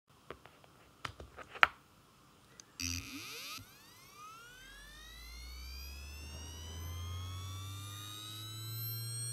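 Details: Western Digital Ultrastar DC HC550 18TB helium SATA 7200 rpm drive (good unit, second-hand) spinning up: rising whine, then steady hum with quick seek clicks; normal spin-up and seek.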